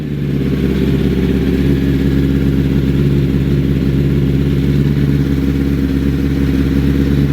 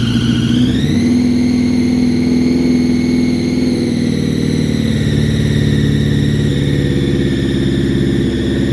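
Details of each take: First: 2005 Honda CBR1000RR after balancing shaft adjustment: steady idle with an even low rumble and the earlier whining whistle gone, but slightly lumpy; the idle adjuster on the thermal valve may need fine tweaking. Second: 2005 Honda CBR1000RR after rebuild, at idle: a high steady whistle rides above the engine note and worsens when riding; traced to the balancer shaft set too tight against the crank, not an air leak.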